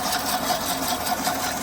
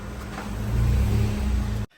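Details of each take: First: Gearbox of a fully automatic AMT car (special-case modified vehicle) in drive: steady mid-pitched whir with a fast chattering pulse, about five a second. Transmission fluid reservoir was checked full, so low fluid level is ruled out. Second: Maruti Celerio AMT with gearbox noise complaint, final check after repair and coolant refill: deep, steady engine rumble, no clunks or grinding; runs healthy.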